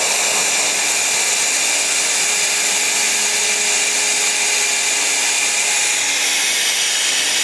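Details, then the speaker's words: Bleeding trapped air from the top vent of a CV340 cartridge pool filter after restarting the pump: loud, steady hiss of air escaping under pump pressure, getting louder as water pressure builds, no sputter; normal air purge. "We're going to open it up so we can hear the air coming out of the filter. It's going to push all the air up to the top."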